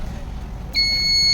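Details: Solaris solar inverter with a previously burnt circuit, after fitting a 7805 regulator and filter capacitor and repairing the relay section: a low hum, then a continuous high-pitched warning beep with no other indication; crystal or IC socket suspected, not confirmed.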